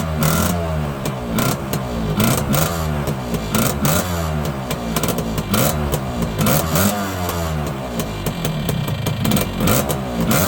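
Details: Yamaha YB100 two-stroke after fitting a new exhaust, revved with fuel then turned off: sharp chuffing and popping on each blip from a still fairly big exhaust leak, though much smaller than before.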